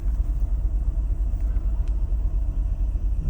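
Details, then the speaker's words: 1994 Mercedes-Benz R129 SL 500 at idle nearing operating temperature, after new plugs, coils, leads, distributor caps, rotors, cam seals, cleaned throttle body: deep uneven rumble pulsing about twice a second, engine visibly shaking; massive misfire, cause unknown. "It's a massive misfire. Now it's starting to shake."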